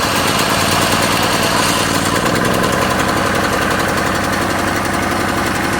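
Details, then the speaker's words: Firman 3650 generator started manually with the lever at the third (top) position: fast, even buzzing engine beat at constant speed without misses or knocks; idling normally. "Okay, so it looks like that's what did the trick. It's running now."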